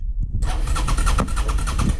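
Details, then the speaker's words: 2008 Suzuki SV650 with 10,000 miles, long stored, bad-smelling old fuel, after replacing a repeatedly blown fuel fuse and holding the clutch: the starter whirrs, then the twin briefly fires and runs with rapid even pops. "Fuel pump works. Gauges work, and it cranks, and it actually started a while."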